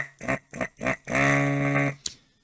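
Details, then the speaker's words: Hakko FR-301 desoldering tool after servicing, vacuum button pressed: three quick buzzy pulses then a steady low buzz ending in a click; vacuum pump working normally. "and that's the normal sound it will make as it's properly working"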